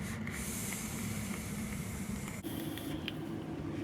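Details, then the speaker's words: Soft sizzling hiss with scattered sharp pops that continue after releasing the fire button, as the hot SS316L soft wire vape coil keeps crackling. The mod battery is nearly dead. "let me see it's still popping crack and I let off the button"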